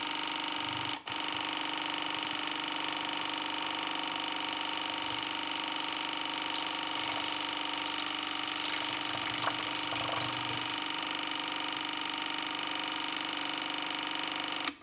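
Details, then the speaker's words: AEG Favorit Electrolux dishwasher from 2015 after an i30 leak error (water on the base plate, float raised), cleaned with a Waterpik and machine cleaner: drain pump pumps out with a steady, even whirring hum and slight rattle of water; runs normally, tub empties. "Ik zal eens even kijken of we hem kunnen afpompen zo. Ja, hij is leeg."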